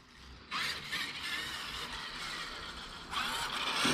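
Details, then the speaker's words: Traxxas X-MAXX 8S RC truck after replacing the spur assembly, rear bulkhead and motor braces to fix stripping gears. Clean electric whirs rise in bursts as it drives with cover and body off; slightly louder from bigger gears, no clicking; drivetrain healthy. "It does sound a bit louder, but it might be because we've got the bigger gears."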